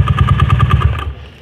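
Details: Carbureted Honda Beat automatic scooter at idle: rough rapid knocking, about ten hard hits a second, louder on the right (magneto) side, then dies away; worn magneto fan boss knock.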